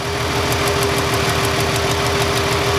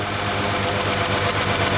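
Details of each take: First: Ford Freestyle 3.0 V6, cylinder 1 misfire with no codes, engine idling: sharp crisp ticking about six times a second as the ignition coil arcs internally, inside the coil or boot, giving weak spark. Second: Ford Freestyle 3.0 V6 with cylinder 1 misfire, after fitting a new ignition coil: crisp spark snaps about eight a second jumping a large air gap over the idle, versus the old coil's weak internal arcing.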